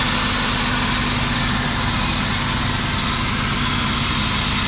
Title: 2004 Buick LeSabre misfire